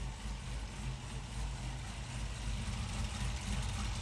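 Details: 2018 Camaro ZL1 V8 at idle with cover off while checking spark plugs and wires after a P0300 random misfire: even, deep smooth idle with no stumbles or skips.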